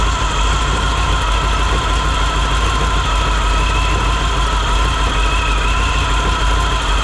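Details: 1957 Chevy sedan delivery on a 4x4 truck frame, 454 big block, idling after being brought back to life and pulling fuel from the tank, while burning off spilled brake fluid. Deep, even rumble with no misses or knocks. Healthy idle.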